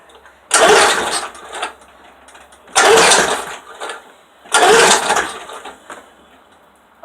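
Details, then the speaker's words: Lawnmower cold start with gas in the tank: three pull-start bursts about two seconds apart, each a brief rough turnover that dies away. It never catches; the cause is unknown. "I don't know if we'll start but then you're cranking you can hear it have gas in it I don't know what's wrong with it"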